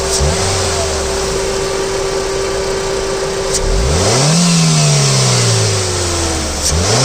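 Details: 2010 Ford Fiesta, DL4C: engine idles then revs in quick blips, pitch rising and falling with speed, with a steady high whine throughout; engine noise, cause unclear.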